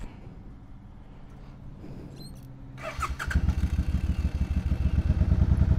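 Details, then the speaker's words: Motorcycle restarted on reserve after running out of gas at 63 miles: quiet, then the engine catches and stumbles in uneven low pulses as fuel comes through, settling to idle and later running normally. "I know something's wrong something's no I was out of gas now okay now it's idling okay I think it had to get through the thing I ran out of gas 63 miles are you kidding me"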